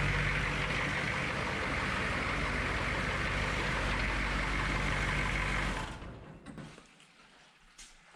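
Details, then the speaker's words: HMMWV M998A1 6.2 diesel after fixing exhaust leaks: steady, even idle clatter with a regular beat, no exhaust puffing or ticking, then clean shutdown; normal idle. "sounds much better than it did without all the exhaust leaks"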